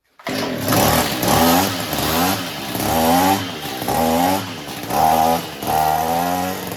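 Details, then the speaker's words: Echo two-stroke weed eater that kept stalling, after turning the carburetor high-speed screw slightly counterclockwise: fires and revs cleanly in repeated rising bursts without dying; runs fantastic, mixture now right. "That's it. Runs fantastic."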